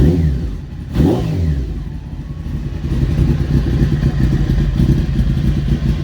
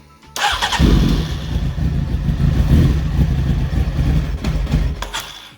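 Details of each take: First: Honda CBR900 streetfighter after a wiring fix, started cold and warming up: idles and revs repeatedly, climbing and dropping cleanly with even firing and no knocks. Sounds healthy. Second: Honda CBR900 streetfighter build, after a wiring fix: the starter churns the engine for about five seconds with uneven low chugging but it never catches. Owner suspects too little fuel with the tank off.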